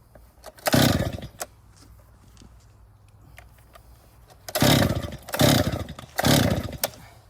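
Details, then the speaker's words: 2018 Stihl MS261 M-Tronic chainsaw, hot, full choke start position: about four rough quick cord pulls, turns over briefly but never catches; hot no-start, spark confirmed good, fuel starvation suspected, not confirmed. "will not start. Okay, back to the shop. So, this thing has a running issue."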